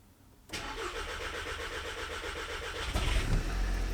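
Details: 2.0 TSI VW Scirocco first start after engine refit following engine knock repair, in park on ramp: starter cranks about four turns a second for two and a half seconds, then the engine catches cleanly and revs are held up.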